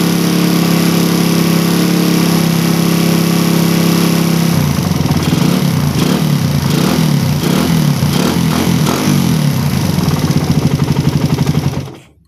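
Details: Engine with a PE28 carburettor, air screw set by the second method to 2.5 turns, matching the PWK 28: held revs sound clean and crisp, then drop back to a steady idle with no stumble, so the mixture is well set.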